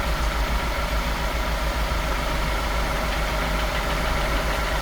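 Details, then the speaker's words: F10 BMW 550i, N63 V8, at idle: deep rapid knock about three a second, strongest low in the block, no misfires or timing faults; piston hitting crank counterweight. "you listen closely, you can hear the knock strongest near the lower part of the engine. And that usually points out to bottom end damage."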